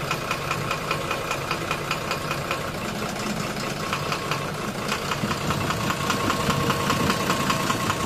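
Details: 12-M FE engine at steady idle with a clear regular knock, about two to three per second, standing out over the engine hum; knocking at idle, cause not yet pinned down.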